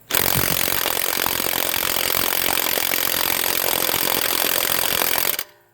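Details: HANS 1/2" cordless impact wrench (rated 530 Nm), battery said to be full: continuous rattling hammer with a thin high buzz that never builds to a hard impact, weak versus a Dayplus; same after a full recharge, possibly defective.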